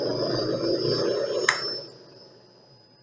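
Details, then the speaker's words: Motor driven by frequency inverter with external reversing switch and potentiometer, carrier frequency set to 5 kHz: thin steady high whistle over motor hum as it winds down; normal switching whine, lower settings louder. "em 5 kilohertz é só uma subiuzinho bem fininho né talvez se eu deixar assim quatro ou em três ainda seria só excesso do vizinho"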